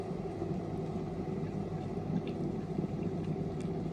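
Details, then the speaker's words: Smeg kettle just after replacing its faulty power switch, tested on its base before descaling, with heavy limescale inside: steady, even low rumble with a faint fizz and no sputter or crackle as it comes to a boil. Normal kettle boiling. "We can start to hear the kettle boiling, and you can see the kettle's now boiling the water. So it's doing what it's supposed to do."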